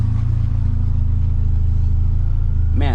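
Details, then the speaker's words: Honda CRX with swapped B20Z engine, first start, no cooling system fitted: steady even idle just under 1000 rpm with no misses or knocks, temperatures rising quickly; TPS not yet calibrated; normal healthy idle. "I think I think that's it I mean sounds freaking awesome you guys hear it I'm stoked"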